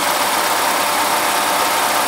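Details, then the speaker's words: 1980s BMW E24 6-Series CSi, parked since 2001, running after the plugs were dried. Harsh, raspy idle with a ragged, uneven exhaust note. Misfiring; exhaust leaks from holes. "it's alive though it's alive definitely alive that's what you wanted so it is it is misfiring interesting"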